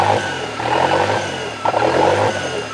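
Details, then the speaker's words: Toyota 3E-TE petrol engine hunting idle after startup, bouncing between about 1500 and 2500 rpm, revs swelling and sagging every second or so; engine seems hot, owner suspects thermostat not opening, unconfirmed. "so yeah when it starts up it does the bounce idle between about 1500 RPMs to about 2500"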